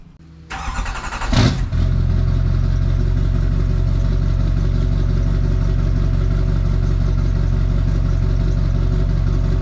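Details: Duramax diesel (2001-2016 range) just after replacing the OEM up-pipes with Dynovox stainless up-pipes, downpipe and exhaust reconnected. It cranks and catches within a second and a half, then settles into a steady, deep, even diesel idle. Normal start and idle.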